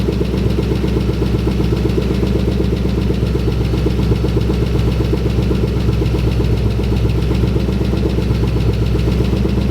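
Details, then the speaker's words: 2011 Mustang GT with a freshly installed Gen 1 Coyote V8 on first start; fast light tick, roughly four per second, over an otherwise healthy idle. Owner suspects an exhaust leak at a loose rear exhaust section. Ticking at idle. "there's a slight ticking noise but I think it might just be an exhaust leak there's a back section that's kind of like not on so it might be ticking through that"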